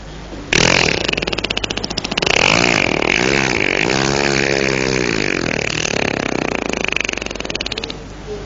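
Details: Motorcycle that died on the road: repeated rapid cranking that never catches; it won't start because it ran out of fuel.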